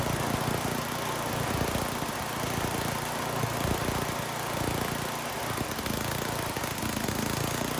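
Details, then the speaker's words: Troy-Bilt snowblower with brand-new carburetor being tuned: engine runs loud but uneven, stumbling as the high-speed mixture screw is turned in too lean, then out until too rich, then back; rough running from incorrect mixture. "I leaned it out and it really started running bad. So I backed it back out and I kept backing it out until it actually ran too rich."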